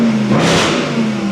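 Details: Jaguar XFR from a project fleet started and blipped, revs rising and settling with a clean even note and no rattles; passes the start test and runs normally.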